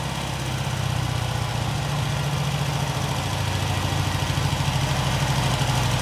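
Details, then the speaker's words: Norton 88 Dominator twin after a new spark plug was fitted: even, steady idle beat at about three pulses per second, no misses or stumbles; both cylinders firing cleanly. "It looks like okay, so it looks like both are firing right now."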